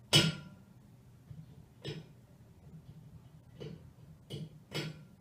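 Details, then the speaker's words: Hot-water heating system pipes: sharp isolated cracks and pops about every second from thermal expansion, typically between 5 and 6 a.m. when heating restarts after night setback; like tapping a pipe with a hammer or a stove heating up. "A sami jste asi dobře poznali, že se týká o teplotní dilataci. Tak, je to zvuk, jako když občas klepnete kladívkem do celové trubky, nebo když nahříváte kamna."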